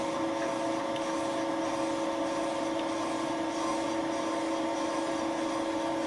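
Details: Thiel Duplex 158 mill with Wohlhaupter UPA5 head at fixed diameter, boring a lawn mower's molten plastic bearing seat, quill auto feed 0.12 mm/rev (5 thou/rev), very light cuts: a steady, even hum with two stable tones and no chatter. A smooth, normal boring cut.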